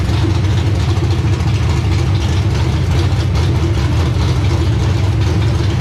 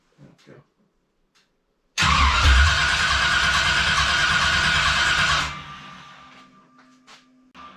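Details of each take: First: Race car engine first started after install, freshly topped-up radiator: strong, deep, steady idle with an even lumpy beat and no knocks or ticks; sounds good, normal idle. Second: Freshly reassembled V8 just installed, first start after building oil pressure: catches and runs roughly about three seconds, then quits by itself; starts then stalls, no RPM shown, cause unknown.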